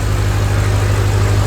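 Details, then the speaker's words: Ford 6.0 Powerstroke diesel on stock fuel, first start after fitting an S369sxe non-VGT turbo, with the camera placed to watch for oil leaks: a deep, even idle with a steady low throb and no knocks or whistles. It runs well and is quieter than expected. "she's running and she's running good look at that boys so much quieter than I expected"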